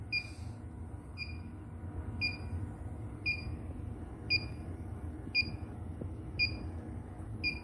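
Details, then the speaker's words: Inficon D-TEK refrigerant leak detector, about 5 years old, just after repair of its broken adapter charging port: warmed up, steady paired high chirp about once a second in low mode, ready to scan. Normal operation. "It's on. Ready to scan. Ready to scan for your refrigerant"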